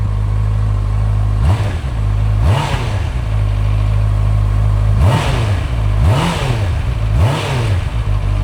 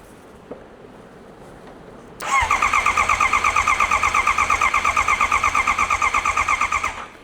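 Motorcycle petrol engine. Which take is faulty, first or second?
second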